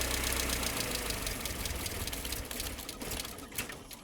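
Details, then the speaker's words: Mercedes SLK non-runner that only keeps running while a relay is manually re-engaged; engine runs briefly, then sags and stumbles out when released. A new relay is suspected to be needed, with a fuel supply fault suspected. "So, I'm having to like re-engage that relay to get it to carry on running. So, when I let go of it, it that's when it cuts out."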